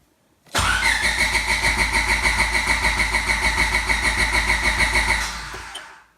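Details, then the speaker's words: Car being prepped for dyno day. It is cranked with the distributor and fuel pump unplugged to build oil pressure: steady cranking at about three pulses a second for about 4.5 seconds, never firing. The oil light goes off, confirming pressure. "Once you see that oil light go away, that's how you know. You saw my oil light go off. So you know I build pressure."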